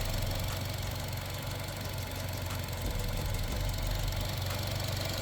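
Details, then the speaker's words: 2014 Buick Encore, direct injection, with engine sludge, before engine flush and oil, coil pack and spark plug change: faint light ticking over steady idle; owner calls it typical engine noise, valve tick suspected, not confirmed. "ticking. I mean, that's a typical engine noise, I guess. But it's supposed to quiet the uh valves cuz it's a direct injection."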